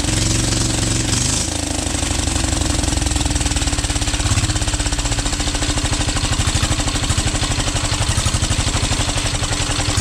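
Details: 12 HP air-cooled single-cylinder diesel after overhaul (it had been hard to turn and would not start; owner suspected the piston), valve clearance set: a steady, even thump at constant speed with no knocks or misses. Normal running.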